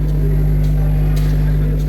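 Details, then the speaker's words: PA amplifier and mixer fed by a laptop that is plugged into its charger: a loud, steady, unchanging low hum from a mains ground loop; the fix is to charge the laptop fully and unplug the charger while playing. "இதுக்கு காரணம் என்னென்னா, எந்த ஒரு லேப்டாப்பும் நம்ம இந்த public address ஆம்பிளிஃபையரில் மிக்சரில் use பண்ணும்போது charge போட்டிருந்தோம்னா அந்த sound வரும், ஹம்மிங் சவுண்டு வரும்."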